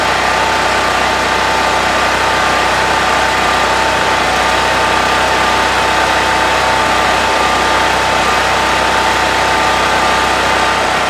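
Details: Brand-new Harbor Freight Predator 4375 W (3500 W continuous) generator, first start, in garage, no load: steady even drone at constant pitch with no surging or hunting, running healthy.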